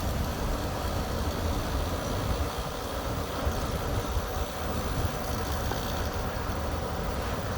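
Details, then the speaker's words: Whirlpool Accudry dehumidifier, not collecting water, fitted with a new capacitor, running outdoors while being recharged with refrigerant: steady low compressor hum with no knocks or rattles; normal compressor running during the recharge. "all right the dehumidifier is turned on near the compressor running so ready to start the recharge"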